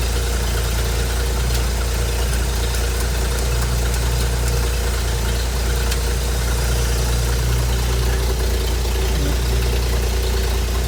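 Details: Hobart APU cart's Ford inline-six, sitting 8+ years, after a fuel line was plumbed in: deep, steady, even rumble with no knocks or misses; running smoothly and healthily.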